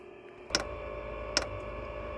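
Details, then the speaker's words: Velit 4000P gasoline heater in a 2023 Ford Transit van, on temporary power, first startup: sharp single ticks roughly every 0.8 seconds over faint hiss; dosing pump clicking normally while priming the fuel line. "so you can see there's a little bit of gas in the filter it's going to take a while to get this fuel line primed"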